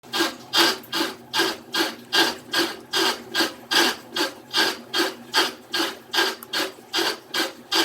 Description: Ended up being a loose nut at the bottom of the washing machine.